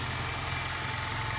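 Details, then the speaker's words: Toyota Corolla hybrid, 481,000 miles, 0W-16 oil, started cold after sitting 3 weeks in about 19–26° garage; engine still warming up, steady low hum with airy hiss, no misses or rattles; normal cold idle. "you have to to use the zero oils 06 and so she's holding up engine's still warming up so no signs of we're"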